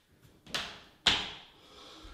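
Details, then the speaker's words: Solid core door on newly installed ball bearing hinges: swings and latches with two clean clunks and a soft settle, no squeak or creak; quiet, healthy hinge operation. "perfect that's exactly what i want no noise no more squeaking"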